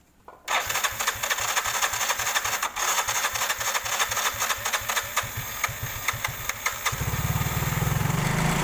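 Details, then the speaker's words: Yamaha Mio/X-Ride type scooter that kept stalling on the road as if losing spark or fuel: after fuel pump replacement, quick start, steady idle and clean rev without stalling; normal running. "Setelah penggantian pompa pempes, kita coba hidupkan apakah dia mati-matian lagi."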